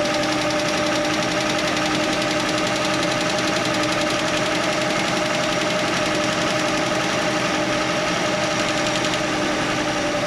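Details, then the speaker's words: Chevy Nova straight-six idling with valve cover off: fast light clatter about four per second from a loose rocker arm, found by stethoscope on each stud; tightening it while running made it quiet. "I tightened it up while I was running, and it got quiet."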